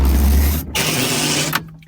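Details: 1985 Subaru Brumby (Brat) wiper motor: a short whirring sweep with a smooth, even buzz that stops cleanly; works normally.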